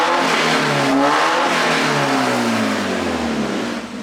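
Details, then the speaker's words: Mazda Miata with catalytic converter cut off, suspected no thermostat, after fixing water leaks, running about an hour without overheating: blips with loud raspy exhaust, pitch falls evenly, no knocks or misfires; runs solidly but smokes heavily when revved. "Motor runs pretty solid. Smokes like a freight train when you throttle it up."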